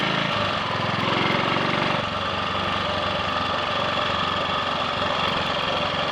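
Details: Triumph Sports Cub single-cylinder on a road run after a thorough fuel-tank clean-out of fine rust and a protruded-electrode plug fitted: steady even beat, no stumbles or cut-outs; owner notes slight hesitation at 1/2–3/4 throttle, suspects crud on carb needle.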